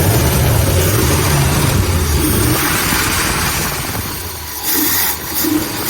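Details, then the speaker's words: Ford Galaxie V8 running on its own fuel: low steady burble with slight pitch wander, holding idle without stumbling; doesn't sound too bad. "and it really doesn't sound too bad now we cut a few times here and there"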